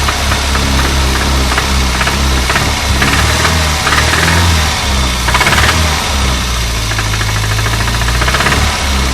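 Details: Renault 25 engine: sharp, regular knock ticking through the idle at a steady pace over a loud engine drone; owner asks what is knocking, source unclear — engine knock.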